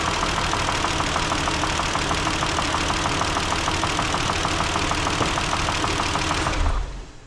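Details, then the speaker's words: 2012 Kia Sorento 3.5L, 252,000 miles, driven after running out of oil from an oil filter housing leak, warming up at idle: hard sharp knocking about three times a second; internal engine damage, likely not worth repairing. "all right so you guys probably heard the same thing I heard she's not looking good so at this time I'm gonna have to talk with a customer and tell them it's probably not worth sticking the money into uh she rattles hard so um I'm sure running out of oil probably did some damage"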